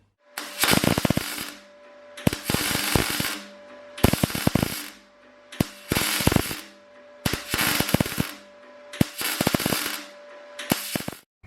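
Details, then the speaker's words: MIG welding on sheet metal, same power setting but much lower wire speed than before: short bursts of steady, even frying-bacon crackle, consistent beads; wire speed and voltage well matched, good penetration on the back. "the world now that's completely different to what it did before when I wanted it before and we're welding exactly the same power setting just a lot lower wire speed"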